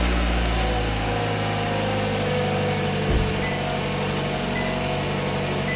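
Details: 2016 Toyota RAV4, three years old, idling after start during battery/alternator test (battery 12.8 V, alternator 14.2 V normal): smooth, even idle hum with steady low throb, no knocks or squeals; engine and charging system healthy.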